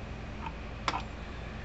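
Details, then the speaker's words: American Farmworks 120 mile fence charger plugged in on the bench, its indicator light no longer flashing; crisp sharp ticks about half a second apart over a quiet hum. Normal steady pulsing. "so we're going to plug this thing in here clicking right along now it does not have a light on it doesn't flash a little light anymore"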